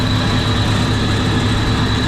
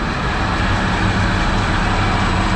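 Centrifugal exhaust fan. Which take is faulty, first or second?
first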